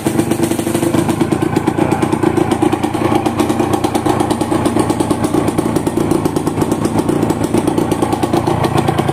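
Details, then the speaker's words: Yamaha TZM two-stroke just after a full overhaul, cylinder block cut to new spec, not yet tuned and still in break-in, so starting is a bit hard: steady idle with an even, quiet crackle, no bottom-end or piston knock; engine runs quiet, normal. "Enjin senyap."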